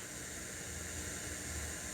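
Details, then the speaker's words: Crate CA series acoustic amp, gains at 0, master at 3 o'clock, reverb return turned up, no signal: quiet, steady hiss with no hum or crackle; noisy reverb stage suspected. "Hopefully you can hear that white noise. Now reverb return is at 3. Now it's maxed out."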